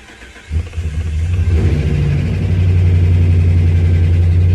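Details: 2009 Dodge Ram 5.7 Hemi after fuel pump replacement for no-start: short crank, catches right away and settles into a steady even V8 idle with no stumble; normal start and idle.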